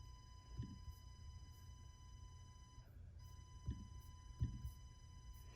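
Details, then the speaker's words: Hobby CNC router cutting a sign, shop vac dust collection: steady high electrical buzz with overtones over soft low rumble and occasional clunks; constant buzzing whenever it runs, cause undetermined. "the CNC is temperamental very temperamental it makes a buzzing sound the entire time is running too so you hear that buzzing sound"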